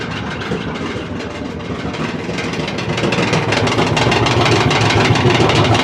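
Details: LG dryer making loud clattering noise during drying cycle; tumbling with loud rhythmic rumble and clatter that grows louder, diagnosed as a worn drum roller.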